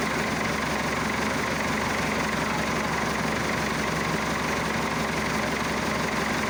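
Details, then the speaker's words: Massey Ferguson Super 90 diesel tractor just after replacing a faulty negative ground cable that caused slow cranking and no-start; fixed and held at cold idle, not revved. Slow, even diesel clatter holding steady without misses or hunting; normal cold idle. "She's still in idle cuz you can't rev up a cold engine."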